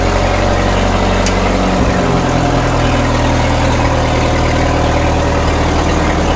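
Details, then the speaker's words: 1936 Caterpillar Twenty-Two tractor on gasoline, restarted after possibly running out of fuel, after sitting for years: a steady low thrum with no stumble or misfire once the choke comes off, and the carburetor is judged to need no adjustment. Normal idle. The clutch is separately found not releasing. "I don't even think we have to adjust that carburetor. No, it sounds good."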